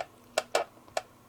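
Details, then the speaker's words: Atlas Amtrak Genesis model locomotive being reassembled to cure a shell buzz at high sound volume. Short dry plastic clicks and scrapes as the shell shifts back and forth; the frame is rubbing the shell's screw posts. "It could be something like the top of something rubbing against the top of the shell, I'm not sure"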